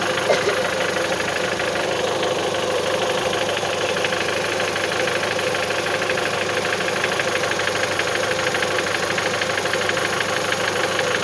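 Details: Mitsubishi 1.8 engine: sharp, rapid tapping knock riding over the idle, steady throughout; engine knock, source undetermined.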